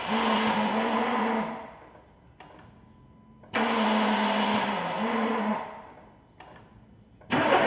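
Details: Renault Sandero 1.6 8-valve 2014, before repair: three cranking attempts, each a harsh metallic grinding whirr over a second long; starter drive (Bendix) not engaging the flywheel cleanly.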